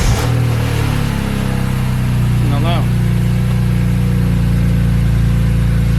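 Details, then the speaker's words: BMW E36 with S54 swap, cold start after exhaust rattle-delete install on one side: flare then steady low idle with coarse rasp on exhaust note; still raspy but not loud. "nope it's still raspy well here's the thing though it's not loud which is good"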